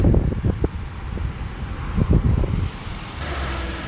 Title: 2006-2011 honda civic Click noise when turning steering wheel,8th gen cv axle replacement 08 civic